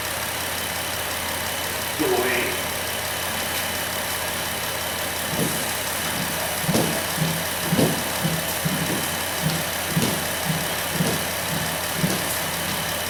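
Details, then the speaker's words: 2008 Dodge Grand Caravan 3.8L V6 after engine replacement (old engine had P0303 misfire, burned coolant), warmed up, thermostat opening: smooth steady idle, fan whooshing in background, no knocks or misses; normal warm idle. "so she just about warmed up looks like everything there is working pretty well"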